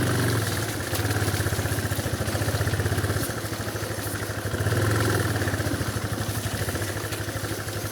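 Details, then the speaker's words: Yamaha single-cylinder motorcycle climbing through mud bog on BR-319: uneven, labored thump with loose clattery patter, bogging and surging as mud holds the engine back; cause of odd engine noise unconfirmed. "E aí se eu não for motor ali o barro segurando o motor"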